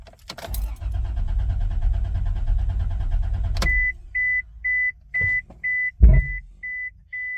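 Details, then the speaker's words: 1998 Isuzu Rodeo after starter motor replacement, cranked at full throttle to check for dead spots; even, steady cranking beat for about three seconds with no drop-outs, then a door chime; starter healthy, normal cranking. "have now verified that the starter motor is good has no dead spots and the starter is getting a signal and the car is able to turn off"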